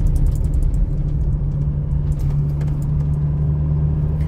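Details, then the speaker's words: 2021 Toyota Hilux with about 50,000 km of farm use, driven over rough ground with the cabin kept silent: only a steady low drone and road rumble with a few faint ticks, likely from the radio; no cabin or dash rattles. "Vamos passar lá e eu vou ficar em silêncio pra vocês ouvirem algum barulho interno, cara."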